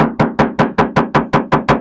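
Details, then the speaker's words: Hyundai Stargazer bare fender panel tapped before Vtech sound deadening; ten sharp hollow taps ringing and decaying slowly, very tinny, undamped resonant sheet that lets tire rumble into the cabin. "suaranya cempreng banget dan kita akan tutup agar suara gemuru dari dari ban akan berkurang ya"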